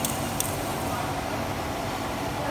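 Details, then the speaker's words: Clutch release bearing removed during a clutch disc replacement, spun by hand: a steady rough growl shows it is worn and needs replacement. "Ini ngorok, teman-teman. Ini bisa didengarkan, ngorok suaranya, ini perlu diganti."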